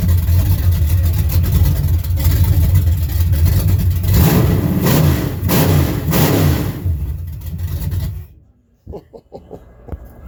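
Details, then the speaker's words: 1963 GMC farm truck with a replacement motor, being resurrected: loud, deep V8-style idle with strong rev blips that climb and settle cleanly, then the engine cuts off; healthy, possibly mildly cammed. "Sounds good. Holy Sounds pissed shit. off. Fucking responsible. Sound like it's cammed a little there almost."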